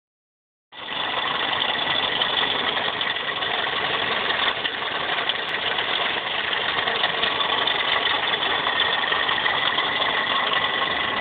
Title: Toyota Corolla Car making rattling noise